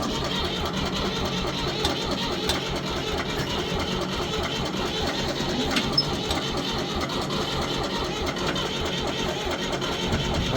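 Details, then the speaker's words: 1973 Ford 4500 industrial diesel backhoe, cold after freezing night, cranking without ether: steady even chuffing on the starter without catching; hard starting, slow to fire, cause unconfirmed. "it does start without ether now which is nice well we'll see I guess it was in the freezing temperatures last night so hopefully it'll fire"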